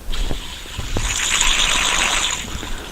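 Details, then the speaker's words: 1993 VW Cabriolet, old timing belt idler pulley spun by hand during water pump job: dry, gritty rumble rising and fading, with play in the bearing; worn idler bearing, replaced with a new one without play. "sound too good plus there's a little bit of play in it"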